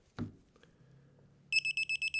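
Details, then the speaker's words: Digital torque wrench set to 25.5 N·m tightening a 3/8 in (9.52 mm) mini-split line flare nut: quiet creak of the tool, then quick high beeps about eight a second as it nears set torque; normal warning beeps. "Now this torque wrench is going to beep, beep, beep until we approach the correct torque value, and then we're going to have a solid beep."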